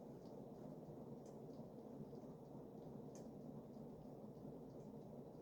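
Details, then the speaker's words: Early-1980s Emerson-built Sears 52" ceiling fan with K-55 stack motor, running on high: steady whoosh with faint irregular clicks from a loose nose; owner suspects a loose nose bushing; blades well balanced, otherwise quiet apart from motor whine. "Yep. Really, the only wobble you're seeing there is from the nose being a little loose. The motor itself is the blades themselves are in pretty good balance. And aside from that clicking from the nose, it's actually very silent."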